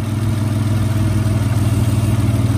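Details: Dodge Stealth (3000GT) idle after replacing the worn lash adjusters: a steady, smooth hum with only a faint tick left, and the idle now sounds healthy.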